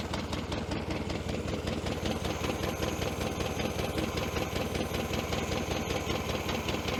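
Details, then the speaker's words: 1966 VW Beetle revived after 10+ years: lumpy uneven idle with regular stumble, weak and lacking power; one cylinder not firing from a dead spark plug, its exhaust pipe stays cold. "right she's not running on this one here that's the exhaust pipe coming out there and that's cold I can actually hold my hand on the exhaust pipe there"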